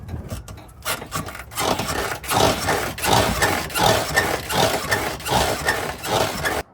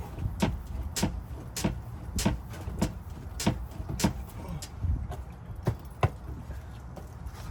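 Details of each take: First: 2007 Honda Pilot rear shocks making noise before replacement: dry, woody creak repeating with each bounce, about eighty per minute, as the rear rocks; worn rear shock absorbers. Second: 2003-2008 Honda Pilot after replacing both rear shocks, car bounced about once a second: only soft thuds and a faint creak, no clunk; the earlier rear-shock noise is gone, and a slight squeak remains from elsewhere.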